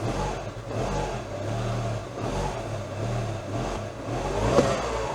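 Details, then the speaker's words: 2012 Mini Cooper 1.6L with a misfire: a low, lumpy note that rises and sags but won't rev freely. Clatter and a red oil warning light appear, and a timing chain issue is suspected. "Oh, yeah. It doesn't want to rev. Whoa. That's not good. That's not good."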